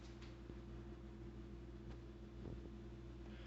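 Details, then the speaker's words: Fairly new fridge, compressor running: low steady hum with a coarse, loud buzzy edge, occurring about once a day, then returning to a normal hum; source of the buzz not identified. "i noticed it it makes this pretty loud sound it doesn't always do it but i just wanted to inform you just because it's pretty new"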